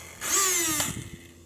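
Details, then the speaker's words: RC car, right after a sudden loud noise: the electric motor whirs up to a high whine for about a second then fades, but the car does not move when throttle is applied. The drive isn't engaging. "oh god i'm pressing the gas but it's not doing nothing that ain't good"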